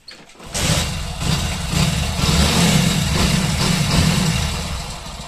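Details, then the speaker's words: Motorcycle that revved high on its own, after adjusting accelerator cable free play: the engine catches quickly and settles into an even, steady idle without the revs climbing; normal sound, problem fixed. "तो देख सकते हैं दोस्तों बिल्कुल normal sound सुनिए"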